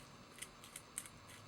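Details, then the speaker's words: Rovan Baja 5th-scale RC car differential bearing after a crash, turned by hand: faint, irregular gritty crunchy clicks. Outer seal missing, nearly falling apart; replacement differential ordered. Crunchy damaged bearing. "can hear it sounds pretty crunchy it's missing the seal on the outside it's just one good tap away from coming apart completely"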